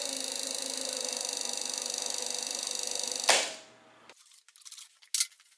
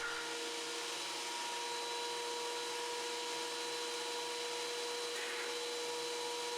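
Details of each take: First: Shopsmith Mark V mounted thickness planer feed motor running: steady high whir with fast even ticking about twenty per second until shutoff; owner unsure whether clicking is normal or a motor condition issue: clicking while running. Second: Wen 6552T 13-inch 3-blade benchtop thickness planer, like-new condition, feeding workpieces fast: steady, even high whirr of motor and cutterhead at constant pitch, no knocks or rattles; normal running.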